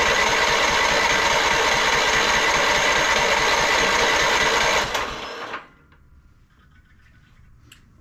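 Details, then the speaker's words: LT4200 mower with an MTD Powermore engine that was run very low on oil and pops out the intake: fast, even cranking at about four beats a second for five seconds, never firing. Cranks but won't start, likely from low compression; a leakdown test follows. "I've honestly seen this a few different times with these power more engines they don't Faire too well a lot of times when they're ran low on oil"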